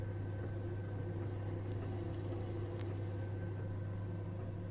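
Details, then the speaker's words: Gas boiler heating circulation pump after bleeding trapped air through the screw plug, burner running: steady low hum with soft water flow, no longer roaring or gurgling; normal running after air removed. "now turn we hear the sound of all involved including the burner has earned the pump is no longer roars like you hear"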